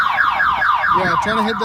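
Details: 1997 Pontiac Firebird V6: loud electronic warble sweeping up and down repeatedly, factory anti-theft alarm triggered and blocking starting until the system is unlocked.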